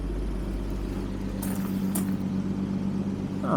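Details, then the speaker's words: Early Series 2 Jaguar XJ12 carbureted V12, after carburetor work fixing no-idle and poor acceleration; fires right up to an even, smooth low idle with steady hum, no misses, knocks or hunting; perfect emissions, runs sweetly. "we can just reach in here and fires right up really good idle and is as smooth as can be if I had a coin we could balance it on the engine returns to a nice smooth idle"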